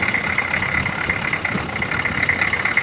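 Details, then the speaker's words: Old diesel vehicle recently revived after 20 years, charging at 13.7 V: steady idle with an even low rumble and a strong high-pitched hum on top; running smoothly. "all right I will try and fire it up later she's running also"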